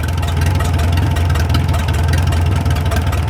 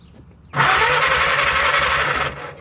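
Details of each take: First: 1937 Willys flathead engine, revived after 25+ years sitting in the woods, at slow low idle with a steady deep thump, no knocking and only faint valve tick; running healthy. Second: 1937 Willys flathead four-cylinder generator engine, sat outdoors 15–25 years: steady starter churn about two seconds with no firing; no spark, points cleaned and tested fine, cause found to be a loose coil wire.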